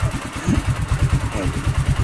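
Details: Vintage Win 125 motorcycle after replacing a rusted non-original steel spark plug cap: quick, even putt-putt at steady low idle, no misses or knocks; normal idle.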